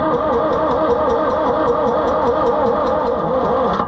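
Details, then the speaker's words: Oliver 1355 diesel tractor with a new fuel pump cranks steadily but never fires; injection pump was bled, yet no fuel reaches the injectors. Owner suspects a bad pump or a stuck rack. "nothing starting to lose Faith friends maybe our pump is no good after all even if it's not in time it should still Pump Fuel"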